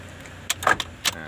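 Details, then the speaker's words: Car with universal remote alarm fitted for central locking, ignition switched off: a few sharp clunks with engine off as doors auto-unlock by themselves, a normal alarm function. "otomatis Buka sendiri itu salah satu fungsinya alarm motor remote universal sama alarm bawaan mobil juga kayak gitu"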